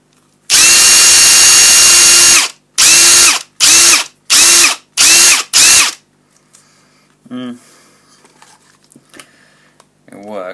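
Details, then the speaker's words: Ryobi One+ brushless impact driver, bought as spares/repairs, free-running: one long run then five short pulls, clean steady high whine without rattle or grinding; sounds perfect. "I want that it sounds perfect"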